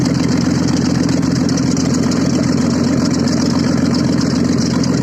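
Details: Audi engine just started after repair, running without exhaust: loud, raw open-exhaust idle, steady and even with no knocks, misses or surging; normal idle.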